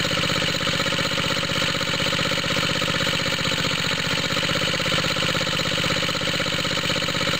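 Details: Water pump rig engine cold start after installing exhaust tip: steady chuffing idle about four pulses a second, raspy and throaty; smoke seen at suspected head gasket leak, head gasket replacement needed to restore compression.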